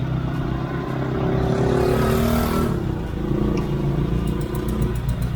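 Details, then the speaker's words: Proton Satria 1.3 with a jerking idle; plug lead No. 3 is pulled for a cylinder balance test. Lumpy idle sags and surges, nearly stalling, so that lead also has no problem. "Okey, bermaksud yang ini pun tak ada masalah. Tengok ada bunyi-bunyi nak mati-mati ya. Kita check yang ketiga."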